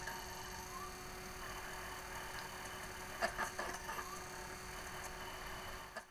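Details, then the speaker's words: Pink PlayStation 2 disc drive after repair: steady faint whir with a few quick seek clicks as the disc spins up and reads; drive works normally. "Okay, well, that was the simplest fix ever. Listen to that drive work."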